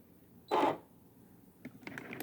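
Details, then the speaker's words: Brother SE600/625 sewing machine switched on, resetting to stitch 103: short mechanical whirr then a few light clicks as the needle settles; the usual power-on noise, nothing wrong. "it always makes that noise when you turn it on."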